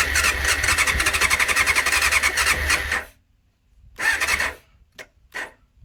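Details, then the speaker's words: 1989 Honda CBR600 restoration, cleaned carbs, fuel primed, choke on: fast even starter churn with brief coughs and short bursts that die; engine tries to catch but throttle kills it, before it eventually runs. "Fuel seems to kill it. Throttle seems to kill it off."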